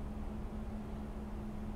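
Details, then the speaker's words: 2007 Toyota Yaris petrol engine, about 150,000 miles, idling very low and unevenly below 300 rpm, nearly dying, with heavy shaking, flickering battery light; fine when revved; suspected very dirty throttle body. "thing it is it is dying it's a real quick look less than 300 rpm"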